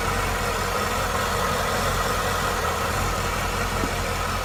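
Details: Engine running with a steady, even idle and a smooth low rumble, no misses or knocks, after a massive vacuum leak from a missing plug under the supercharger was fixed; normal idle.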